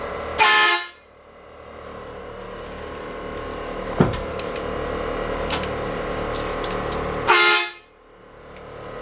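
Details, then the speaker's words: 1966 Chevy truck air horn; two loud clean blasts about seven seconds apart over quiet idle, strong and healthy; a small air leak was heard but not found. "That sounds pretty cool. Your sister will like that. Scare me every time I walk past her."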